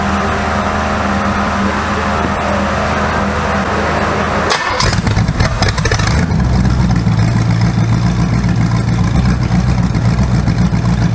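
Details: Rebuilt 408 small-block Chevy on an engine run stand, open headers, timing set at 20° initial, on first fire-up: loud idle with an uneven, stumbling beat and a skipped pulse; the number one cylinder misfires, suspected from an old spark plug.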